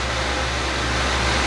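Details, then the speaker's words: Lenovo ThinkCentre M91p desktop at BIOS screen: loud, steady rushing whoosh with a constant hum, fan at full speed; cause unclear, suspected faulty fan or BIOS setting running it at 100%. "So yeah, you can probably hear it like in the mic that it's just getting extremely loud."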